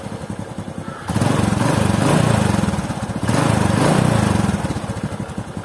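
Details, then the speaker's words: Honda Supra X 125 single-cylinder after fixing tek-tek rattle in the clutch area with shims on the clutch plate, at idle with two blips: even putter, no rattle, smoother now as clutch plate play is reduced. "pasangane dengan ganjelnya kampas gandel tadi membuat pergerakan kempas garanya terlalu tidak terlalu banyak sehingga suaranya pun jadi lebih halus"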